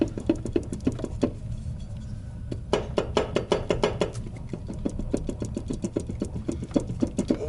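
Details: Ford Mondeo 4 / Focus dual-mass flywheel: sharp uneven metallic knocks, about four a second, over a low idle; knock occurred only in cold weather, flywheel then removed.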